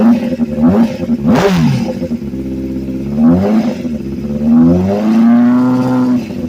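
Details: Honda CBR600RR with a new engine: revs climb and drop in quick blips with a light clattery edge over the tone; the source of the odd noise is unknown.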